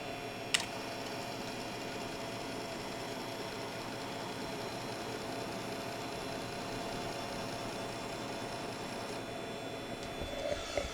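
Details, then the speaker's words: Floppy disk spinning in a drive while the directory read is attempted: steady gritty hiss with thin high squeaky tones, horrible squeaking and grinding from the disk; microphone on the camera, moved close. "but it was horrible squeaky noises horrible gritty noises"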